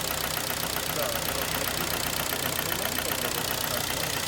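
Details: 2011 Kia Sportage 2.0 G4KD, warm idle after five minutes: steady hollow knocking about four per second; endoscopy shows scored cylinders with aluminium transferred from pistons, piston slap, knock also when cold; engine needs overhaul.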